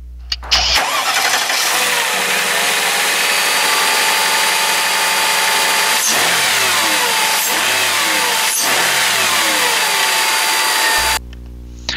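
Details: 2000 Mercedes-Benz S500 restarted after crankshaft position sensor replacement, which fixed engine stalling and no-start. Short crank, catches quickly and settles into a steady, even idle with no stumbling; normal start and idle.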